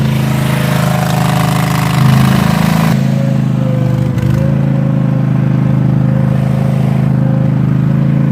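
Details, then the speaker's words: Cub Cadet zero-turn mower started on choke after an oil and filter change and new primed fuel filters; a harsh, loud open exhaust blat, rough and unmuffled throughout. Loud exhaust from disconnected muffler. "let see let's get it fired up it's going to get really loud for a second"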